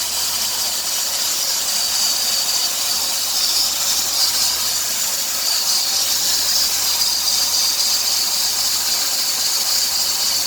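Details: 2003 Dodge Grand Caravan 3.3, 372,528 miles: steady high-pitched hiss and chirp on acceleration, worse toward 2000 rpm; idler, tensioner and power steering pump replaced without fix, worn serpentine belt was the cause.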